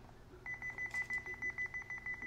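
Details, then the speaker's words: Honeywell Lyric control panel with Lyric 3G cellular module just installed, panel side cover removed: rapid high-pitched trouble beeping, about ten a second, showing Expansion Module Tamper on the communication module. "That's a trouble beep. And if we were to hit 'System,' we can see 'Expansion Module Tamper.'"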